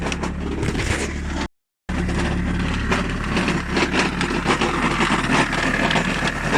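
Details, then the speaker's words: 2021 Lada Granta Drive Active at 20,000+ km, about 10,000 km after modifications: heavy uneven knocking at idle, three to four a second, over a rough note, after vibration at idle the day before; flywheel came loose. "там все хуже и хуже и уже появились страшные шумы пробег у нас 20 с копейками после доработок 10000 прошел то ли сцепление то ли коробка То ли маховик непонятно но шумы ужасные"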